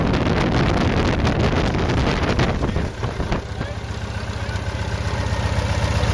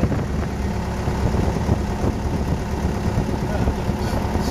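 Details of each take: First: RV-8 aircraft N623RJ, first engine start: "whopping a little bit," an uneven pulsing whop-whop of roughly four beats a second over the idle drone, cause undetermined; oil and fuel pressure good. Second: RV-8 aircraft N623RJ, first engine start: good oil and fuel pressure, temperature coming up, an earlier surge apparently cleared; steady low rumble with an even beat, no misses, knocks or rattles; normal idle.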